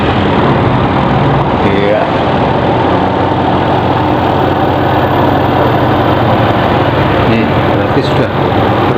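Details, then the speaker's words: Sharp Super Aquamatic ST-69CL twin-tub washing machine, spin dryer motor after a faulty capacitor was replaced: steady, low, even hum, no stalling or buzzing; spin motor turning normally. "ya Berarti kapasitornya tadi yang rusak atau Paling gak kapasitornya yang seharusnya 3 mikrofarat kurang dari 3 mikrofarat ternyata setelah kita sambung atau kita ganti dengan yang lain untuk pengering bisa berfungsi ya"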